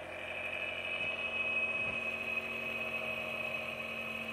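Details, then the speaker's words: Small dual-stage Tesla turbine with new, much larger shaft and brand-new bearings spun up fast: steady high whine over soft hiss, super smooth with no knocks or rattles. "okay we got the new turbine with a much larger shaft ralph had this thing going up pretty fast and it's super super smooth"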